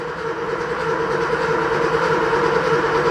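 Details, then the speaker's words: Porsche 3.2 Carrera rebuilt engine before its first start: even, steady starter drone with a fast regular chug and no firing, cranked for 30 seconds until the oil light goes out and oil pressure rises; normal cranking. "but what we're going to do is crank this for up to 30 seconds or so i'm going to be using a clock over there on the wall to time myself and i want to see this light go out"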